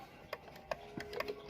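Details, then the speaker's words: 1800s kitchen clock after soap-water bath cleaning, pivots cleaned, movement oiled and put in beat, running about 1.5 hours: quiet crisp ticks about three per second, even tick-tock; in beat and healthy. "We've put it in beat now. And so now the clock has been ticking and running for about an hour and a half without stopping."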